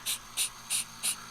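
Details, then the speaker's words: 1969 Corvette vacuum system for wiper and headlight doors: five sharp rhythmic hisses as vacuum is pumped, leaking from the back of a mis-mounted relay valve behind the front bumper; gauge shows little vacuum, diaphragm won't hold, replaced with new valve. "okay so hopefully you can hear that hissing I can't really get the microphone all the way right down there but it's leaking out the back here pretty bad"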